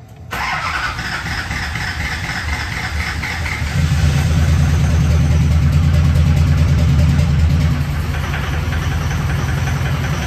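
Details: Newly built SoCal Diesel twin-turbo 1,000hp Duramax diesel at first fire-up: lights off and settles into a lumpy, uneven, loping chug; wrong firing order.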